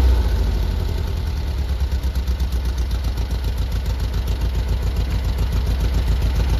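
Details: 1973 VW Squareback flat-four after rebuild, worn carbs: steady low thrum, even pulse about 3.5 beats a second, no misfires or stumbles; normal idle.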